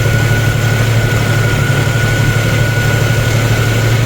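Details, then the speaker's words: 1990 Jeep YJ 4.2L six-cylinder, 5-speed, just after installing an electric fuel pump, fired right up with one pedal pump: deep steady low rumble with even beat and faint constant whine; smooth normal idle. "let's see if it starts one pump of the pedal one turn of the key and it fired right up"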